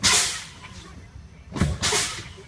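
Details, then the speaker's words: Old truck, CDL air brake test, fanning brake pedal: sharp air bursts with quiet gaps; low-air warning came on between 55 and 75 psi (primary 65, secondary 66); normal. "Alright, so my primary is at 65, secondary is at 66. This was a good test because it gave me a warning in between 55 and 75 psi."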